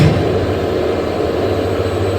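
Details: Elevator with Monarch 1000 controller and gearless synchronous motor, G+1 floor, after motor tuning: steady, even low hum with no knocks or grinding while travelling; runs normally.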